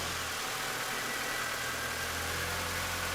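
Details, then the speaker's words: 2001 MINI Cooper R50 with a fuel pressure gauge on the fuel rail (spec 3 bar/43 psi) reading about 50; the engine idles steadily and evenly with no knocks or misses while the gauge valve is pressed to bleed air; normal idle. "the engine is actually running okay at the moment but i'll still just push this valve in which will sort of let any air out of the gauge pipe"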